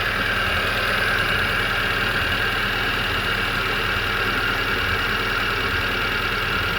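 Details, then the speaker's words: Hyundai Getz after engine rebuild, coolant now filled and being bled of air: steady even idle with faint light ticking, no misfire or stumble; idling smoothly. "That car is idling very very nicely. There's no misfire. She's pairing like a kitten."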